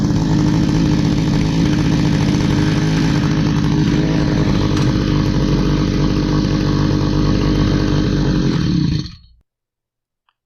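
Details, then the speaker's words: Stihl HS45 hedge trimmer, long unused, two-stroke started after priming with fresh fuel and a new air filter following a customer tune-up: uneven buzz for about nine seconds, never clean and steady, then dies out; runs rough, needs more work. "okay so it ran not great we're going to need some more work on that"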